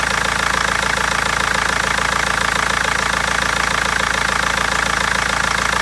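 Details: BMW 320d diesel at rough idle: sharp, evenly spaced knocking with possible misfire; injectors or tappet suspected, mechanic and seller unable to find the cause for over a month.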